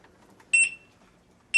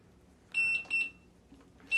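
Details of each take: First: Begode electric unicycle lift test at 100% charge, 99.9 V, wheel free-spinning off the ground to 58.5 mph: two short high-pitched beep bursts about a second apart, the tilt-back speed alarm at top speed. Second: Begode Monster Pro electric unicycle switched on new out of the box, in shipping mode until the lift switch button beside the power button is held: two short high-pitched beeps, a pause, then a third.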